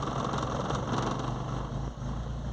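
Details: VW Gol/Saveiro with hard cold-morning starts: steady even idle with smooth low rumble, no knocks or misses; engine running fine.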